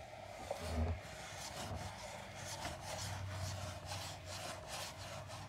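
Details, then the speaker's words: Tesla Cybertruck, day after delivery: soft dry plastic rubbing from the plastic column below the steering wheel when turning at slow speeds, mic held near it; likely trim fit issue that may wear in. "It's just, you know, when you're turning the steering wheel, it's kind of like you can hear the 2 pieces of plastic moving next to each other."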